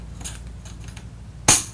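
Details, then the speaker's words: Conbraco Apollo 4A-Series backflow preventer check valve reassembly: one sharp metallic click as the spring retainer, rotated 90 degrees, pops up fully seated under spring force. "Remember, the spring force is pushing up on it. So, when it does go down, it will have a definite force, and you'll actually hear a clicking sound"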